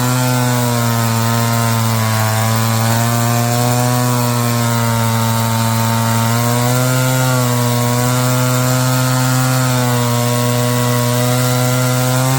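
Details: Roll G2000 two-stroke chainsaw winch after carburetor diaphragm replacement and high-low mixture screw tweak, pulling under load: strong steady drone, even pitch with slight sag and recovery; runs clean and healthy.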